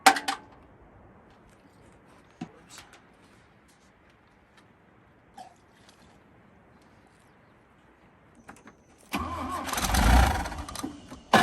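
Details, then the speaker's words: Abandoned 1965 Toyota Corona with a dry tank: a long quiet stretch, then a short burst of cranking that barely catches and dies. Fuel starvation from a loose fuel-line hose clamp causing a leak. "it looks like this hose clamp came loose which would explain it not pulling fuel it's really hard to pull fuel when there's a leak"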